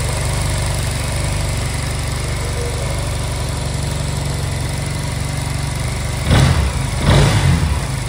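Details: Honda Silver Wing scooter that would not start, after new spark plugs and with a difference noted on the right side: steady, fairly even low idle with a couple of brief blips near the end; normal idle.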